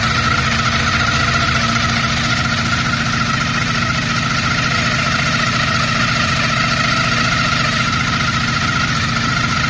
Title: Kawasaki gt550 1987 - whining noise